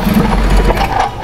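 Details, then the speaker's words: 2010 Jeep Patriot deemed unfixable after many shops, the dealership and many parts: the engine catches, runs rough briefly, then stalls. Scope on the crank sensor and injector 1 shows the crank signal failing high, but only after it is already dying; cause not yet found. "okay there it was guys it did it so let's take a look at this"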